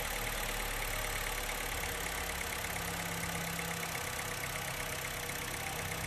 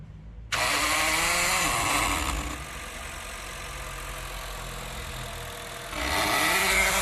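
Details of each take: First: Honda Fit after fault codes cleared, new brake fluid and throttle body work, before throttle adjustment: steady, even idle, unchanging hum, no knocks or rattles; earlier engine noise gone, normal idle. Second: Honda Fit running weak and misfiring: harsh raspy mechanical buzz at ignition/start-up, gone at idle, traced to the electronic throttle body (butterfly body), not the engine; forced limited RPM.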